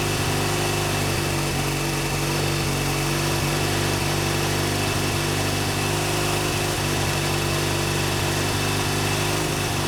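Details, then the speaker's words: BMW R100GS Paris Dakar first start after engine reassembly: twin runs with an uneven, loping beat and slight stumble, oil leaking onto the exhaust and smoking; runs roughly. "i do still have quite a bit of work to do obviously the bike doesn't run great but it does run which is you know an accomplishment after taking an engine ap"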